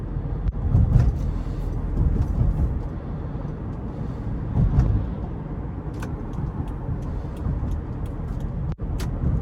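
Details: 2018 Subaru Forester Limited, 170-hp 2.5L 4-cylinder, in-cabin while driving: low steady road and engine hum with only a few faint ticks, no creaks or rattles standing out; quiet interior.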